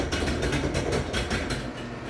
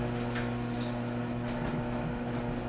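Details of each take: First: Garage door opening, very loud since the owners moved in, recorded before a planned lubrication: steady rattle and rapid clacking knocks several times a second over a low rumble; sounds dry and poorly lubricated, cause not confirmed. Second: Garage door closing after lubrication with lithium grease: soft even rumble as the door travels down with only light clicks, then a gentle stop. The formerly creaking door now runs smoothly and quietly.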